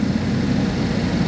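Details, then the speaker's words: 2011 GMC Terrain with a recurring P0341 cam code despite new phaser solenoids and cam sensors, at cold idle with the check engine light on: a steady, even low hum with no misses, stumbles or ticks, running smoothly. "like I said she's purring we have the check engine light on"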